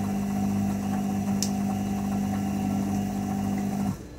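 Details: IFB front-load washing machine during spin: steady low hum with constant tone throughout, cutting off abruptly; owner asks what the noise is, cause unknown.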